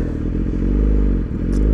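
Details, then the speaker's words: 2017 Yamaha R6 with smog block-off plates, stock O2 sensor replaced by aftermarket sensor for Dynojet AutoTune, check engine code P0030: deep, slightly lumpy idle with faint irregular exhaust pulse, breathing funny before AutoTune adjusts idle after 60 seconds. "you can hear breathing funny"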